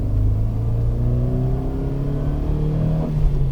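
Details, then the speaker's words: 2006 Toyota Rush 1.5 L 109 hp, 4WD, manual, accelerating on the road: steadily climbing engine drone with a faint whistle on top as variable valve timing shifts; normal valve timing whistle under acceleration. "система в зарабатывает когда слышно такой небольшой свист это вот фазы меняются у вас впускной клапан лучше открывается"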